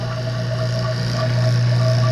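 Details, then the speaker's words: Vacuum pump starting to evacuate a system in a roughly 68°F shop classroom, pulling moisture out: low steady drone that grows slightly louder and evens out, droning and smoothing as the vacuum builds; normal operation. "You can hear the change, how it's starting to drone out, smooth out, right?"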